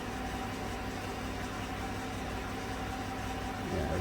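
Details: 2016 Chevrolet Silverado Z71 4x4 5.3 V8, about 135,000 km, after replacing all right-bank lifters for a collapsed #6 exhaust lifter (tick, #6 misfire); codes cleared, misfire history at zero; steady, even idle with no ticking or stumbling; runs normally.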